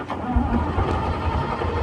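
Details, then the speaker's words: British Chieftain Mk10 tank diesel after fitting a used starter motor: a short burst of cranking rolls straight into a low rumble once a spot of diesel is added; fires and starts cleanly, fuel lower than expected. "Well, it's working. Well, after a spot of diesel, it flashed straight up."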